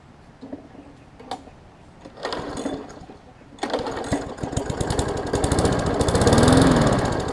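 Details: 2007 Briggs & Stratton Classic 500-series push mower with fresh gas: sputters unevenly, surging and fading, won't stay running; suspected water in the fuel, not confirmed.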